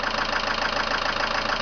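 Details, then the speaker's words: 2001 Mitsubishi Lancer Cedia GDI 4WD at idle: fast, even metallic tapping about six beats a second tied to engine speed. Hard-knocking hydraulic lifters are to be replaced along with a leaking radiator. "вам как у стучат меня гидрокомпенсаторы жестко х сейчас покажу как они стучат"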